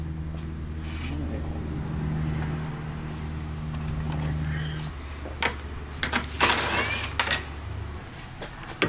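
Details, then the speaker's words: BMW M3 steering rack, turned by hand after the car was taken apart: irregular gritty crunches and clicks, the same crunching heard from the steering wheel; the worn rack is being replaced. "yeah your steering rack's not supposed to sound like that guys"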